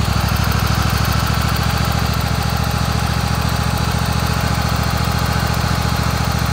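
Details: Kohler Command 25 V-twin; fast even idle with a rhythmic puffing noise at the right cylinder, still runs smooth; burnt plug on that cylinder and power loss: blown head gasket.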